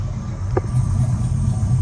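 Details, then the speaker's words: Old Chevrolet V8 in a box Chevy during a tune-up (it also leaks a little coolant); it cranked first go and holds a low, even rumble with no misfire or ticking. Normal idle. "There y'all go. Running like a sewing machine."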